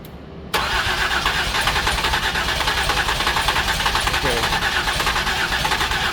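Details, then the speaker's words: 2008 Ford Escape no-start with prior repairs, battery on charger: steady, even cranking about three and a half turns a second that never fires; cranks but won't start, fuel, air and spark to be checked. "it cranks over okay that's good so it cranks over but does not start"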